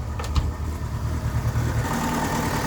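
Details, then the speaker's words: VW Gol 2005 flex-fuel engine running on gasoline, cold idle: low, weak, uneven wavering rumble with the engine shaking a lot; rough idle, and once warm the oil pressure light flickers heavily. "o ronco dele. Tá bem xoxo esse ronco dele. Motor tremendinho bastante. Na verdade não pode. Tá tremendo muito, né?"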